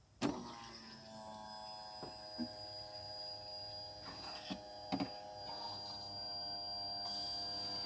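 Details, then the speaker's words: 1989 Chevy S10, 2.5L Iron Duke four-cylinder, abandoned 22 years: new fuel pump on fresh 87 octane, faint steady electric hum with thin whine and a few clicks, pumping back plenty of fuel; normal fuel pump operation. "hey it's working good give you guys a better look all right so we're solid it's putting back a lot of fuel too"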